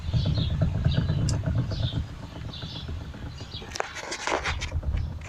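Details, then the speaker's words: Kia Rio 3 steering knock: dull uneven low knocks as the steering wheel is rocked, pushed toward and away from the driver, rattling as if it would fall off. Tie rod ends, stabilizer links and rack checked fine; cause in the steering column mechanism. "а вот так вот леший тебя все время гремит как будто руль отвалится счет вот в этом механизме"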